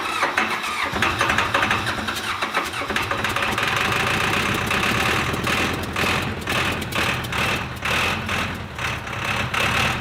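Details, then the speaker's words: Old diesel engine not run for a while, fresh fuel in tank: starter cranks it evenly for several seconds without firing; suspected fuel not reaching the injection pump and injectors, possibly air in the lines or a fuel shut-off problem. "First thing you do when you're starting an old diesel engine that hasn't been started for a while is make sure that it's getting fuel."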